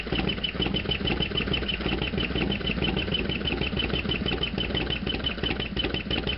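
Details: Harley FXDX V-twin warm after half-mile ride: sharp fast ticking about three per second over a lumpy idle; loud ticking at idle, source not pinned down.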